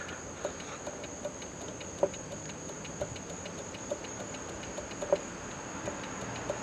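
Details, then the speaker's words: Buick horn not sounding after steering column reassembly: faint irregular single clicks every few seconds in a quiet car, no honk despite pressing the steering-wheel pads; owner guesses pitted or burned horn relay contacts, horn worked only once. "I'll see if I could hit it again and make it work clicks but every now and again you get a good it worked once"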